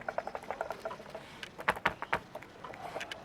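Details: Front-right suspension control arm ball joint, rocked by hand: sharp, irregular light clicks as the ball moves loose in its housing. Worn joint causing front knock, fixed by replacing the control arm.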